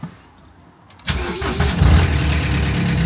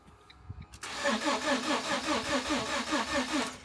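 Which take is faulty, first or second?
second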